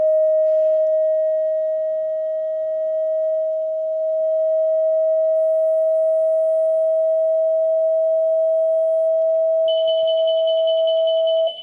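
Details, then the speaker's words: Unicycle anti-theft alarm with one piezo crystal lead removed: a steady 640 Hz pure tone plays for about ten seconds, then the alarm's shrill beep starts on its own. This is a false trigger from tone interference. "So there's the false alarm that's given off by anything that get"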